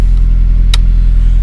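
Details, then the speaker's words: 1997-2002 Honda Accord that cranked but wouldn't start in cold, fault traced to fuel pump relay; now starts without struggle into steady low rumble, even beat, no misses, one brief click; smooth normal idle. "see that it's started without struggle this time"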